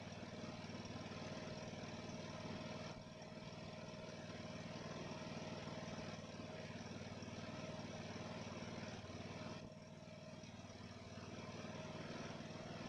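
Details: Ariens mower after its Nikki carburetor rebuild, idling: the single-cylinder engine runs steadily with an occasional brief speed dip. Slight surging evens out into a steady idle that revs up nicely.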